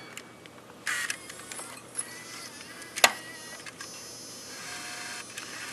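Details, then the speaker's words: Sony HVR-M10U HDV recorder tape mechanism after repair: light motor whir and crisp loading clicks, with smooth play, fast forward and rewind. There is no ticking or grinding; normal tape transport. "You can hear right away that the sound is much smoother, much nicer."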